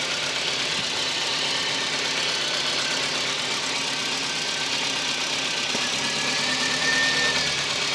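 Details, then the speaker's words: VW Golf Mk1–3/Polo MP9 engine with an over-fuelling problem, smoking: steady, hissy idle that changes as the fuel pressure regulator vacuum line is opened and closed. No leak was found from the regulator. "makes it change in the idle until I close this. No leak from the fuel pressure regulator. Block all that. You can hear this idle changes."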